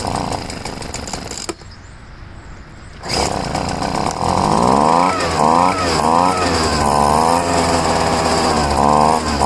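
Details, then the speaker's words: Poulan two-stroke leaf blower, first start after about five months of storage: engine drops out, catches, then surges and sags while screaming high; lean mixture, fixed by richening the outer high-speed mixture screw, needed every year. "I had to richen up the high-speed mixture screw."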